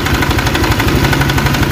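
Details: Honda Vario automatic scooter at idle: rough, fast rattling clatter over the low engine beat that smooths out as throttle is added; cause not confirmed.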